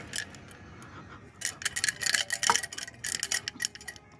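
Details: Jetsurf GP100 exhaust, five years old, removed and shaken by hand: bright irregular metallic clatter; a small curved piece of pipe, likely corroded off, is loose and rattling inside.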